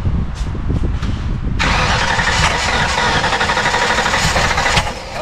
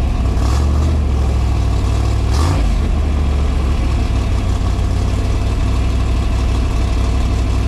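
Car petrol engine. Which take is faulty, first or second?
first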